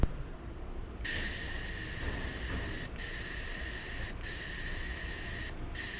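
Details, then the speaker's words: Welding machine given to the owner and never used, shielding gas regulator adjusted with an Allen key; clean, even hiss with a few short breaks, no sputter or whistle, gas now flowing at a good rate. "Okay. Oh, that's it. I'm just gonna run that. That sounds good."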